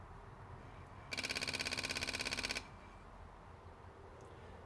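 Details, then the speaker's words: Polaris RZR fuel pump test, first of three key turns: at key-on a rapid, even buzzing rattle of about 1.5 seconds, the fuel pump solenoid clicking as the pump primes, then stops; cause suspected, not confirmed. "can hear the clicking of the solenoid for the fuel pump there."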